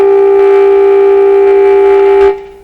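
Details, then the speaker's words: Canadian General Electric C701 console radio during bench alignment, signal generator switch set wrong: loud buzzy test tone with harsh overtones from far too much signal and modulation; fix was about 30% modulation and much lower signal. "you know the switch was not quite set right over there it's way too much signal way too much modulation put the modulation about 30 percent knock the signal way down there we are"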